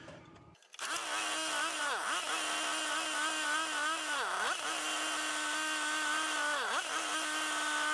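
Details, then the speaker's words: Two-stroke generator on a cold day, about 30 degrees, warmed up briefly, running with a fan plugged in: steady high buzz holding speed with brief dips as load kicks in, recovering quickly; running fine. "All right, so as you can see, it's running, the fan's running, everything seems to be fine."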